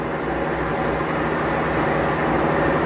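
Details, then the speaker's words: Maytag Bravos HE top-load washer, lid lock removed and lid propped open, on its fastest final spin, about twice the earlier speed; even, fast rushing whir with no thumping, wobble or scraping: normal high-speed spin. "I take it back this is actually the last and final spin and it's twice as fast it has to spend a minute ago I didn't actually realize this one spun that fast"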